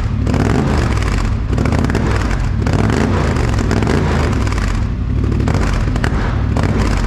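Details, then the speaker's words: 2021 Polaris Sportsman 850 Highlifter, first start after a straight-pipe exhaust install; deep, raspy, loud idle with a more pronounced uneven popping chop, no knocks or rattles, normal. "that sounds so much better that is that gives it so so much like the sound is so much deeper and uh raspy kinda at the same time it definitely sounds a lot better than it does stop"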